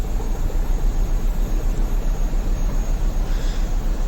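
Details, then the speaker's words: Mini Cooper with fault codes 2771/2781, rough lumpy idle stumbling about twice a second from cylinder 1 misfire; suspected faulty ignition coil, swapped with cylinder 4 coil to test. "जो पहला cylinder misfire है। हम इसमें सबसे पहले ignition coil पलटी मारेंगे।"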